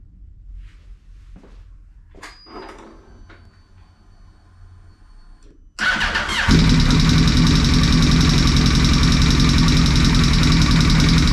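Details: Yamaha R1 four-cylinder starts and runs with loud steady metallic ticking; valve spring collar found under timing cover, a dropped valve.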